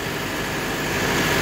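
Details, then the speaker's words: John Deere 4052R with a Tier 4 diesel engine and particulate filter: steady just above idle with a constant hot exhaust rush and faint whistle from the top regen port. Normal DPF regeneration, no knocking. "it's hot. You can hear it kind of coming out of there. And once you work this thing under load too, it really opens up."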